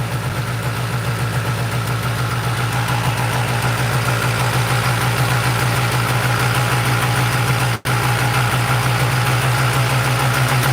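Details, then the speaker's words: Polaris 400L two-stroke ATV, rebuilt top end, just after a carburetor swap, needle clip at highest setting: fast, buzzy idle that stays high and won't drop, too high to shift into gear; owner unsure if throttle or idle adjuster. "So, it's idling pretty high. There's no way I can shift it into gear."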